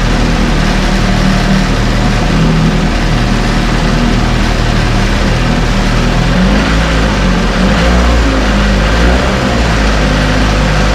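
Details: 1968 Evinrude Fastwin two-stroke outboard, first run, just put in a test tank with fuel, no work done: steady even low idle burble, no misses or knocks, constant idle; healthy-running outboard.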